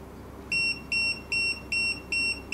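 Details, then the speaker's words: TD158 wireless guest pager number three after its vibration mode was switched on: clear high beeps at about two to three a second in an even on-off pattern, followed by vibration. The pager alerts normally, confirming the setting worked. "the number three pager first first first beep and then you hear you hear the vibration sound which means we set the vibration mode successfully"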